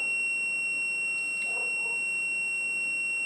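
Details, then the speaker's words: Continuity tester on a Whirlpool/ELTH 261N bimetal frost stat gives a steady, unbroken buzz; the frozen switch is closed as expected and is warmed under lights so it should open near 0°C ±3, stopping the buzz. "When the temperature gets to about minus 3, I believe it's plus or minus 3 degrees, the switch will open, which you'll hear when the buzzing stops."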